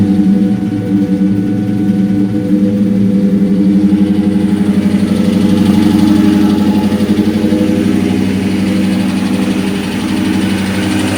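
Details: 2003 SVT Cobra V8 idling: steady hollow knock around four per second over the exhaust rumble; piston slap from badly scored pistons.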